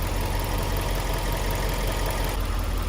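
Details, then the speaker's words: Twin-turbo Subaru Liberty B4 at steady idle: low, uneven rattle with no clean rhythm, seeming to come from one side of the engine; owner wonders if timing-related or something outside the engine, cause not found. "To my untrained eye, it doesn't really sound that regular or orderly to be in the engine. It kind of sounds like something's uneven rattling."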